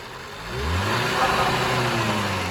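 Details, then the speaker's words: Skoda Superb 1.8 TSI petrol that was misfiring, hunting and throwing a cam timing code, revved with the cam adjuster sensor/connection removed: climbs cleanly and holds an even rev. Cam advance/retard relies on oil pressure that fluctuates from an internal leak. "देखिए आवाज एकदम smooth हो गई है इसकी इसकी क्योंकि इसका जो कैम का जो टाइमिंग एडवांस और रिटायर्ड होता है वो ऑयल प्रेशर के ऊपर होता है"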